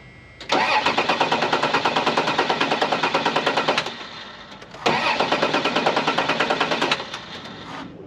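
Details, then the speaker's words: Flooded Dodge Dakota convertible long stored, fresh battery and plugs refitted: two long even cranking bursts about three beats per second, engine never catches; crank no start, owner suspects dying fuel pump or water in fuel. "maybe it's got water in the fuel do it again I think that fuel pump's about dead"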